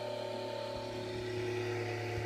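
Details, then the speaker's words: Rebalanced rotor drum cylinders, coils not connected, freewheeling after the belt came off at about 7600 rpm: steady whir with clean tones easing as the mass slows, no wobble or thumping; balanced, no vibration felt. "a sweet enough it's slowly dropping that's a sweet or not so going that's freewheeling right now it's the mass slowing down"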